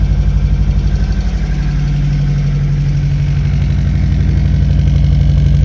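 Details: VW Golf 1 1.4 carburetor, abandoned car, first start: steady, even putter at about four beats a second with a firm low hum, idling a bit high; smoking a bit, with a misfire noted.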